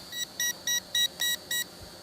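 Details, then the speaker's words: Eachine E511S foldable GPS drone on its first flight in cold weather, being brought down manually after cancelling return-to-home; the controller gives six short high double-tone beeps at about three a second, a low-battery warning. "i canceled every turn the home and try to bring her down manually but she's still beeping that it doesn't matter the battery"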